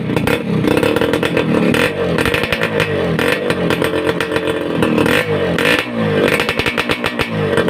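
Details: Suzuki Satria Hiu two-stroke under restoration, after glasswool/asbestos packing was fitted in the racing exhaust: crisp blips with a full, dense crackle dropping back to idle, no tinny rattle. Normal two-stroke exhaust revving.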